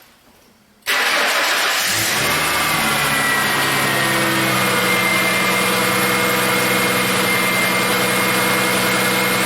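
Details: 2000 Ford Mustang, formerly no-start with no fuel pressure, after fuel pump and fuel filter replacement; key-on pressure about 50, running pressure about 30: quick crank catches at once and settles into a steady, even idle; normal start.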